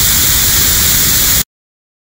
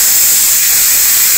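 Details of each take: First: 5L40E transmission shift solenoid on air tester at 65 psi after screwing end plug in to set depth; steady even hiss cutting off cleanly; slight air leak at correct setting, further would stop coil operation. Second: GM/Holden/BMW 5L40E transmission shift solenoid being reconditioned, in air tester at 65 psi, end plug not yet screwed in; steady high airy hiss of air escaping; solenoid air leak before adjustment.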